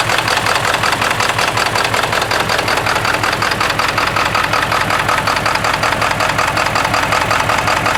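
Cold diesel idles rough with a hard, regular knock around 160 a minute and uneven firing, typical of failing injectors.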